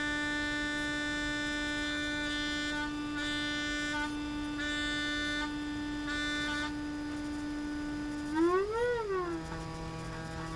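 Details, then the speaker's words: Zenith 6S229 vintage radio electrodynamic loudspeaker driven by a signal generator, field coil loaded at about half: test tone buzzy and raspy, wobbling as pitch sweeps, from damaged paper cone and loose surround and gasket; lows worst, highs not too bad. "so you can hear the loudspeakers definitely compromised by the defects and the paper comb and the surround and the gasket being loose so if i were to use the loudspeaker in the condition it is the sound quality would be terrible"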